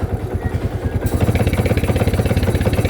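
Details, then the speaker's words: Kawasaki Barako 2 single-cylinder motorcycle, towed in after losing power, chugging unevenly with stumbling misfires as throttle opens; voltage reads 16 V, so the charger is suspected of overcharging. "Palyado pa. Then yan ang yan ang unang narinig ko nung pabababa na kami ng ano ng >> palyado pa 'yan magasan mo siya uli."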